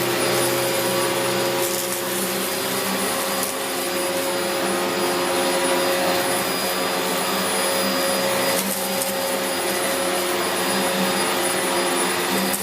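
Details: Dyson DC04 Limited Edition upright vacuum, 17 years old, running during a big-mess pickup test with premotor filter previously cleaned: steady high-pitched motor whine, even suction roar, no rattles or surging; running normally.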